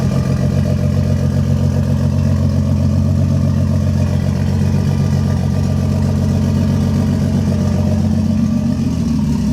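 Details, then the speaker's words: Lexus IS300 with 1JZ engine swap, first start after the build: deep, loud idle with an uneven, stumbling beat and slight lope, a misfire caused by a failed coil pack, for which a new one was bought. "all right guys that initial start that you heard is great but it was actually with a failed coil pack so i went ahead and purchased a new one from a local hardware store or local automotive store"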